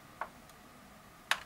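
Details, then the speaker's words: Toshiba L300 laptop that will not power on: the LEDs light, then on pressing power the power LED blinks for one second and everything shuts off, with two faint sharp clicks about a second apart and nothing spinning up. "if you here really carefully you can hear a faint click when he tries to power on not to click from the bottom after I press it"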